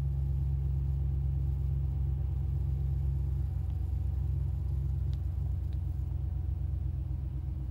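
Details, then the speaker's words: 2017 RAM 5.7 Hemi V8, just after installing a Mopar cold air intake (77070023AD): deep, steady, even idle rumble with no ticks or misses. Sounds quiet and healthy, normal idle. "Sounds pretty quiet."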